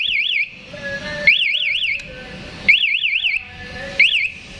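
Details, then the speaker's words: KTM Duke 200 with MP 1-way alarm, anti-robbery feature activated by one lock-button press, engine killed, restart attempted: sharp warbling siren bursts repeating about every second and a half; anti-starter lockout active. "Saya coba untuk fitur anti rampas tombol lock atau gembok tutup satu kali ya motor mati dan langsung mengaktifkan anti starter engine"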